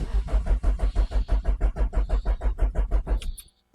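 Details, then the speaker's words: Renault Clio 1.8 16V, sat for months: starter churns about three turns a second without firing; test light shows power at fuel pump plug, so fuel pump most likely dead, not yet bench-tested. "so by using a simple light on that we know that we've got power to this plug so the fuel pump is pooched most likely"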